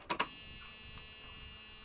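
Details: 1997 Dodge van with 360 V8 and automatic, sat 5+ years, fresh battery, key-on: two quick relay clicks then faint steady electric hum about two seconds; fuel pump priming hum, normal.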